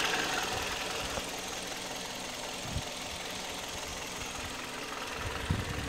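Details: 2008 Kia Ceed at 104,000 km on Mobis 5W-20 oil, valve clearances within spec: uneven knocking at idle, roughly three a second over a steady hum; source not pinned down.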